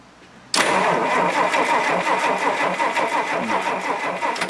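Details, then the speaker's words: Rolls-Royce Silver Cloud III fail-to-proceed: starter cranks evenly about four seconds, proving starter and battery good, but never fires; still no spark at test, recently fitted coil is oily and suspected bad, not confirmed. "So go ahead, Willie, crank it. Still no spark, okay."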